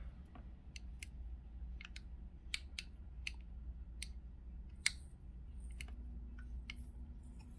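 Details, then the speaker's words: Ruifeiya NR-200 engine (Stirling kit), dumping fuel and barely fired, turned over slowly by hand: sharp uneven metallic clicks, about a dozen in eight seconds, something inside catching; owner unsure if normal, suspects a defective engine. "so it's if you hear that's making some pretty awful clicking noises again"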